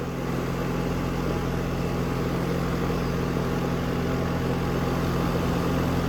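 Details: New 2024 Goodman condenser, cool mode, after a tripped high-pressure switch and locked-up condenser coil were repaired: steady low compressor hum, smooth fan rush, no rattles or squeals; normal running.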